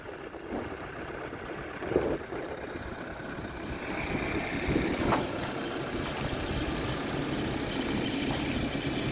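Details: New Holland B95C 4x4 tractor loader backhoe diesel with about 1,525 hours, well maintained, started outdoors: low, even rumble that rises slightly and holds steady with no knocks or misfires, running nice and quiet. Normal diesel idle.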